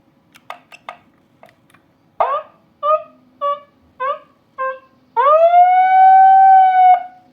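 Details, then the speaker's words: TOA ZR-2015S megaphone under repair for a dead microphone, lying face-down: several short chirps then a clean, loud rising and holding siren wail from the blue siren button; siren circuit works normally though the microphone gives no sound. "Sirine juga berbunyi normal ya."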